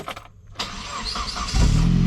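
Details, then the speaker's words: 2002 Saab 9-3 convertible, engine really hot: short strained starter whir about a second before engine fires and settles; starter sounds rough when hot, cause unclear, sounded better this time than earlier. "The other thing is like when the car's like really hot, this is what the starter sounds like."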